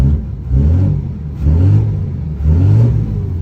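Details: 2004 Dodge Ram 2500 Cummins diesel: deep rumble climbing in smooth rev surges about once a second, no knocks or clatter; healthy strong-running engine.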